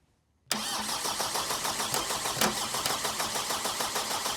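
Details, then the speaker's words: Power Trac 1850 diesel mower being bled after fluid and filter changes: steady starter churn at about three beats a second with no firing, the engine cranking while still quite a bit of air remains in the fuel system. "once we've bled this properly foreign [Music] [Music] er a break here for a minute just still quite a bit of air in there so we'll keep going"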